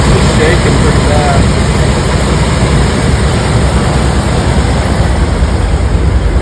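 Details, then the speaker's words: 1984 Ford E-350 RV engine, long unstarted, idling low and lumpy, about two uneven beats a second, never smooth; owner suspects vacuum leaks and remaining bad gas; good oil pressure and charging. "it doesn't sound bad either got a rough idle I know there's a bunch of vacuum leaks everywhere so that's probably contributing to the the the bad Idol"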